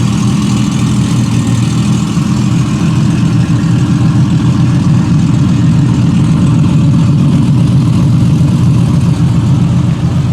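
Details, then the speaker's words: Two engines idling together, a 1968 Triumph TR250 (just restored) and a TR6 in the driveway: a smooth, even low rumble with no ticks, knocks or stumbles; both sound healthy. "Got them both idling, which is kind of nice to hear them together."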